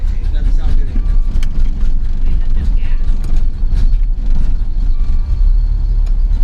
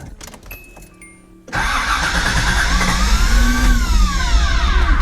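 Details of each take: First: 1986 Nissan 300ZX, hurricane-flooded, with a replacement for its stolen computer: low, uneven rumble surging and sagging, then it dies; it's not getting fuel because a ground wire that needs to be hooked up is disconnected. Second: 1986 Nissan 300ZX, hurricane-flooded, first start with a replacement for the stolen computer, in neutral: starter whirs, engine catches and settles into a loud steady run with some revving; water was found in the exhaust.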